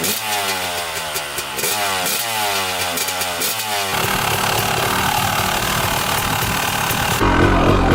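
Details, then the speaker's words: 1998 Honda CR250 two-stroke, first start this year after sitting, kickstarted with choke and fresh premix: crisp blips climbing cleanly, then a steady busy run with no misses; owner says it always runs great; normal running after cold start. "Thing always runs great. Never ever had an issue with it. Thing's just a solid bike."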